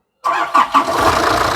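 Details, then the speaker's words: Nissan Urvan E25 ZD30 diesel after top overhaul with idler gear set correctly, previously hard to start and needing a jump: couple of quick cranks, starts first try into steady idle, no leaks; normal engine start. "Jadi hari ini kita satu tiada leaking dan kita start pun senang. Gigi idle sudah cantik sudah."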